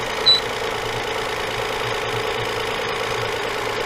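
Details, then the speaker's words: 2004 Toyota Avalon 3.0, complaint of belt noise mostly when cold: a light buzzing rattle at steady idle pulses with the engine beat. It comes from a loose exhaust flange missing a nut, found and replaced. "so there's actually a nut missing right here on the other body which would make sense because when i'm moving it i'm shifting it"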